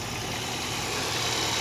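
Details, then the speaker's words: Chevrolet Corsa petrol engine at idle: steady hiss and faint high whine, with the spring of the broken belt tensioner knocking. The tensioner is to be replaced. "eu fui tirar correr é o secador mesmo tá quebrado a mola batendo aqui"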